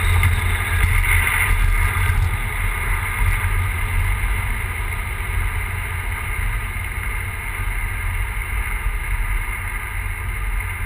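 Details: Big-turbo E85 Volvo 940 idling with a deep, uneven, stumbling beat from a misfire of unknown cause.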